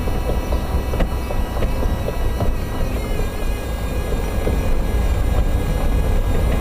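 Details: Toyota MR2 Spyder driving, right-hand side knocking clunk: dull irregular clunks about one or two a second over road rumble; hood touches nothing, power steering pump noise present; right-side suspension knock.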